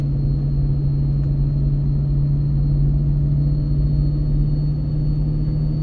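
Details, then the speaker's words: Ford 6.7 Powerstroke with MPD compound turbo kit, towing heavy load downhill in second gear around 35 mph, third of four tunes, brakes untouched: a deep, steady rumbling drone with no flutter or misfire as the exhaust brake holds strongly, harder than stock. Normal. "we'll see if the exhaust brake can hold back seems to hold back harder with this turbo on here than it did when it was stock"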